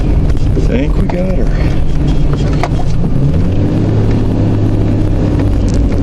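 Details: Jeep after front end repairs with sway bar quick disconnect and steering stabilizer installed, test drive while steering: steady low driving hum, no clunks or pops as the wheel turns; front end now tight and quiet.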